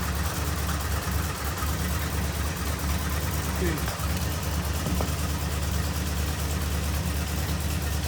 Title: 2015 F-250 6.2L Broken Exhaust Valve Spring causing misfire